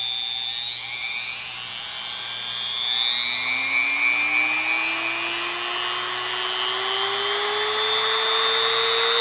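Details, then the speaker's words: New replacement rotary tool (substitute for worn Dremel), unloaded, run from slowest speed upward: clean smooth high whine climbing steadily in pitch, no rattle or grind; healthy motor running free. "foreign makes cool sounds I like that [Music] oh it's no V8 engine but it'll have to do"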